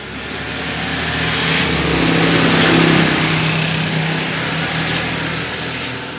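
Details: Yamaha Aerox 155 scooter, after replacing the worn, 3-year-old stock spark plug to cure backfiring (no error code shown): engine revs up smoothly and eases back down with no popping or backfiring; runs healthy and even.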